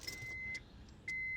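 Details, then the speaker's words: 2005 Honda CR-V after ignition switch replacement, battery reconnected: steady high-pitched key-on beeps, about half a second on and off; chime works normally. "just reconnecting the battery here before I put the column completely back together I just want to give the key an actual shot here okay so we hear it beeping"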